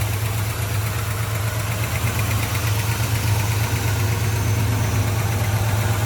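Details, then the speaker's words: 1972 Chevy C10 Cheyenne, fresh restoration with headers and ATI distributor, V8 at idle: steady, even, mellow exhaust through a factory-style muffler, not real loud, no knocks or misses; normal healthy idle. "Not real loud exhaust, more of a factory style muffler, but sounds good."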